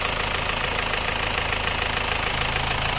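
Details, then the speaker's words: Isuzu Panther diesel after engine rebuild (new liners, rings, pistons, clutch, seals) following radiator water loss, warm after a short test drive: even clatter at steady idle, no misses or knocks, very smooth like new, clean exhaust. "ini mesinnya sudah hidup suaranya seperti ini ya ini tergolong halus banget seperti baru suaranya ya emang baru ya"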